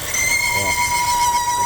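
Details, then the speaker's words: Volvo V40 T4 2018 2.0 turbo engine running: steady thin high-pitched whistle of a vacuum leak through a torn PCV valve diaphragm on the valve cover oil separator; relieving pressure stops it; diaphragm to be replaced. "bom aqui no motor tem esse barulho então a gente conseguiu identificar um problema é que na válvula essa película tem aqui ó quer ver Vou tirar a pressão aí ele para o barulho vai parar o barulho"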